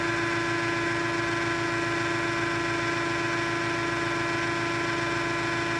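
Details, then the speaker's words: 100-ton hydraulic press, motor running during slow long ram stroke: steady even hum at one pitch, no knocks, rattles or grinding; motor healthy. "It sounds good. Motor sounds good. No weird noises."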